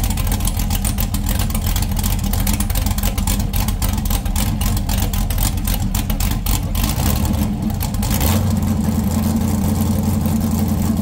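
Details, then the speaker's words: 6.0 LS V8 on a stripped 2000 Silverado factory harness, after the dipstick that the crank was hitting was straightened: deep, even rumble picking up cleanly on a rev, no ticking or knocking; normal running. "Pulled it out, straightened it, put it back in. Noise gone. She sounds like a dream."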